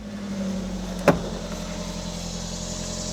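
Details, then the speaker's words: 1996 Toyota RAV4 petrol engine just started with A/C running: very quiet, smooth low hum, even idle, no ticking, hissing or exhaust leaks; normal idle. "know if you guys can hear it but it is very quiet there's no exhaust leaks there's nothing this thing just this works it's typical of Toyota"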